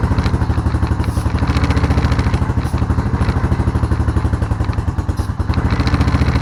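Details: Honda Rancher ATV that sat with old gas, run after a carburetor clean and fresh fuel: lumpy, uneven idle with a wavering beat, shutting off now and then.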